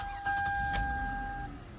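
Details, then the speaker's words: 2009 Toyota Camry LE, 3.5 L V6, recorded inside the cabin: brief crank catches at once and settles to a quiet even idle behind a steady dash chime; healthy start. "and you can hear that fantastic 3.5 liter V6 start up inside"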